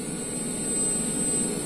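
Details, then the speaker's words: Sound system mic/input connection with no music: constant even hiss with faint high whistle, which disappears when the input cable is unplugged. "Jadi yang suara berdesis itu ini. Jadi kalau dicabut dia hilang."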